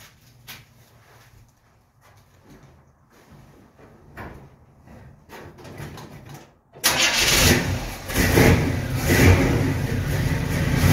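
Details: 1937 Dodge engine first start after fitting a new distributor and roughly setting initial timing; catches and settles into a steady, even run with no misfire or stumble; distributor works fine, runs like a champ, but needs new plug wires.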